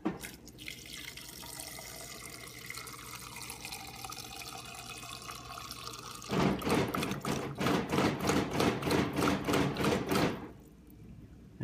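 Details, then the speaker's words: GE Profile PSHS6RGXCDSS fridge water dispenser, same fault even after a new filter and a filter bypass: water hisses, then a loud rapid chatter of about three beats a second takes over and fades. Owner suspects the water pump; flow resumes briefly after waiting. "and the issue is it'll start to just put out some water eventually but then it starts making some awful noise sounds like the water pump is"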